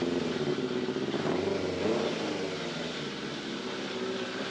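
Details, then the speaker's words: Cold Yamaha FZR600 idling with the airbox off, after topping up oil that had been low, while investigating a suspected timing chain rattle: even, busy mechanical hum with no rattle standing out, sounding normal. "that sounds normal so it looks like it had a little less hole than what it should have done"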